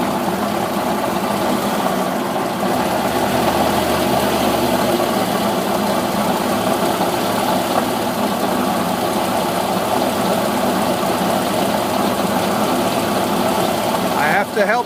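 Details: Cold engine that won't idle without throttle help: rapid steady knocking through rough running even at 1600 rpm, also around 800; oil temperature not yet risen, 150 on the cylinder head.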